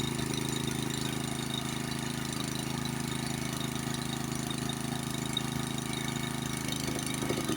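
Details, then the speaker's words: Honda snowblower engine, after an artificial air leak was made by loosening the nut between the elbow and carburetor: hunting, pulsing rhythm instead of a steady beat. Surging from an intake air leak. "you see how I created that artificial leak there by loosening up this nut the connection of course your your connection between the elbow and the and the carburetor with it created an air leak right there and that's why it's surging again"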